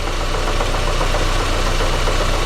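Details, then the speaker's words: 2005 Daewoo Lanos 1.5 L with Check Engine light, hesitation and no power: lumpy, uneven idle with a missing beat; injector drop test shows no reaction when cylinder three is cut, so cylinder three is dead, misfiring. "Як троїла так і троїть четвертий є реакція Отже висновком нашого тесту є непрацюючий третій циліндр"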